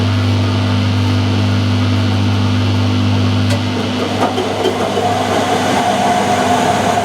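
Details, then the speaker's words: Whirlpool (Siltal) AWG324 D600 4kg 600-spin 33cm super-slim washing machine, mid-1990s: steady low drone with a rough, gravelly rumble building as the drum turns, plus knocking; the drum bearings are gone. "there's a couple of problems with [Music] it they're the bearings on the drum and they're gone"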